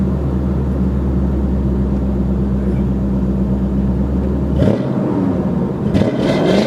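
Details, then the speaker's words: 1995 Lincoln Town Car V8, exhaust with header cats retained, other cats hollowed, 2.5-inch tail pipes through Flowmasters: smooth even burble, deep steady drone, no ticks, rasps or rattles; healthy exhaust note. "Um through Flowmasters. And it still has the first set of cats, but the others have been hollowed out. And so that combination of the cats on the header and then the Flowmasters gives you uh well, this sound."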